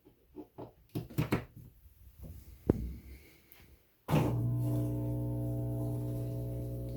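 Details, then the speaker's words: GE top-load washer: after handling knocks, a steady low buzz starts abruptly and won't stop regardless of lid or buttons; reset via diagnostic mode, long-term fix was replacing the drain pump. "and you can hear that buzzing sound doesn't matter if I open the lid foreign doesn't matter if I try to stop it anything I hit it just keeps buzzing"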